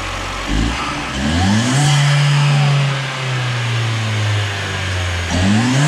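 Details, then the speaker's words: Second-generation Chevrolet Cruze turbo petrol engine, just fitted GFB diverter valve, revving in neutral (only 5-7 psi, not a full valve test): climbs smoothly, holds steady, drops back cleanly without flutter or rattle; healthy. "okay so this thing sounds pretty good just revving it in neutral uh the car can only hit about five to seven psi so that's not really a full test of the valve"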